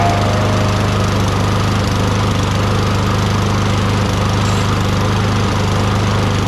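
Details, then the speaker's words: Free Toro Recycler 22" mower, Tecumseh 6.5HP, first start before repair with SAE 30 oil added and air filter off: catches and runs at a steady, even fast beat with no misses; carburetor decently clean, primer circuit apparently works. "That it runs on its own, which means the carburetor is decently clean, and I guess the primer circuit does work, even though I didn't see any fuel shooting out."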